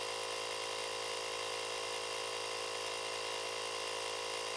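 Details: Booster pack's built-in compressor inflating a tyre from zero to a set 2.2 bar: steady buzzing motor hum with a quick even pulse, about three beats a second, never faltering; normal running.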